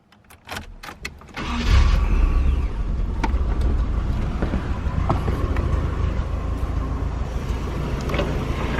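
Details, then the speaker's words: Nissan 240SX S13 bought cheap: a few cranking bursts, then it catches into a lumpy, uneven, stumbling idle; sizeable misfire. "but yeah it has a pretty decent size misfire"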